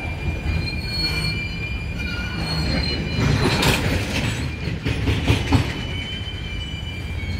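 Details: Union Pacific 6644 freight train leaving Mesa Yard: thin steady high squeals over low rumble of rolling cars, with metallic clangs midway; squeaking and clanging made it stop, cause not stated, later fixed.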